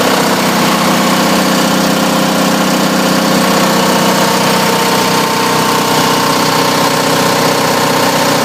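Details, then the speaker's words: Onan DJB 6 kW diesel generator with new muffler, in a shed after a cold start: loud, steady diesel clatter at constant speed, even rhythm, no misses or surging; heard from outside it is quiet, like an air compressor; running normally. "y from the shed and sounds like an air compressor you know when it calls for air it's what it sounds like from here it's not la at all so you know there's the sound test I'm very happy with it"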